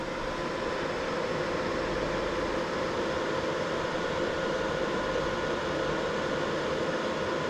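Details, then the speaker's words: Mining rig with six RTX 3060 Ti on a BTC-S37 board in a closed case: steady airy whoosh with a faint constant hum, no pulsing or grinding, about 65 dB measured; loud but normal power supply fan, main noise source. "c'est l'alimentation à qui fait beaucoup de bruit si on en mettait une autre on serait bien"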